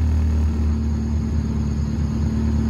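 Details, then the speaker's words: Honda Civic at operating temperature after PCV valve removal and throttle body idle screw adjustment: engine holds an even, steady idle about 1000 rpm, briefly rising with headlights on then settling; normal idle. "the idle stays at a thousand i'm okay with the thousand"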